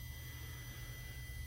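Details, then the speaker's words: Polaris Ranger with a DS18 audio build in a JSUB-2 box: a thin, steady high whistle over a low hum that does not change; an electrical squeal whose cause the owner has not found yet. "Damn squeal. I guess I'm gonna have to figure out what that is."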